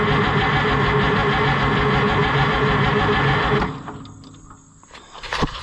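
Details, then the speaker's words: White 2-70 gas tractor not run for years, previously taken apart, carburetor suspected rusted; steady rhythmic cranking about three and a half turns a second with no firing at all; cranks but will not start. "we ain't got no fireage whatsoever"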